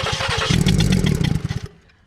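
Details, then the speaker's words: 2015 Ford Explorer 3.5 V6: slow, dragging cranking at about six or seven pulses a second, then stopping; engine turning over sluggishly. "do that again let it run for a second if it can all right it's slow start it up"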